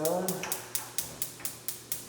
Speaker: don't know if you're familiar with the gas stove but if you hear that clicking noise that's the igniter that ignites the gas once you turn it off the ignite setting it goes away